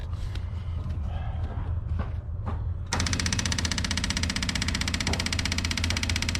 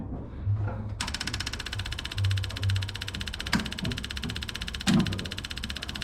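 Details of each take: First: M718A1 ambulance Jeep, first start after reassembly, with diesel fuel spilled about and no coolant yet: after handling noise it catches and settles into a steady, even diesel clatter at idle with no misses and no smoke. Normal idle. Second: M718A1 ambulance Jeep cranked on two hot batteries after a month apart, diesel in the petrol tank: starter grinds at a steady buzzy rate with a few dull thumps but never catches; no start.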